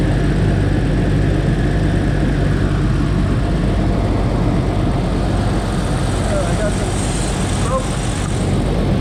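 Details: 2004 Jeep Wrangler TJ Rubicon 4.0 straight-six after fuel rail heat-soak cover install and Bosch 7-hole injector replacement with new o-rings, started to check leaks: even steady drone, no ticking, knocking or stumbling; normal running.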